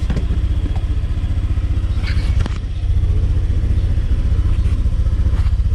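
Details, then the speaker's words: Honda Click 125i started on a newly fitted LiFePO4 battery reading 13.3 V; even, steady low putter of about four beats a second, no knocks or rattles; normal idle. "Then start natin. Uy, okay ah. .1 kasi nag-on na yung mga ibang ano niya."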